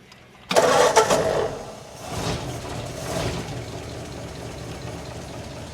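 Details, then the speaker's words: 1947 Ford after transmission rebuild and after sanding distributor points to fix no-spark: brief crank, fires at once, steady unhurried idle without misses; normal start and idle. "Actually, I had to take the whole distributor right off to do it. But it starts now. So let's start it and test this transmission."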